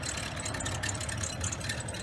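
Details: 2011 BMW 535i at cold idle, 7 a.m.: light, fast rattling chatter over the engine note from the belt tensioner pulley, which is noisy when cold; it is to be replaced today after earlier tensioners, possibly from eBay, failed.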